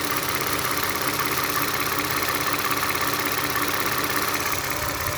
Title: Clicking sound of engine, this sound just started June 13th. Prior engine tight and silent.